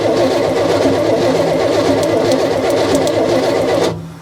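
A long-sitting V8 grinds over on the starter with an uneven, lumpy rhythm for four seconds. Nothing catches, and a valve may be hanging.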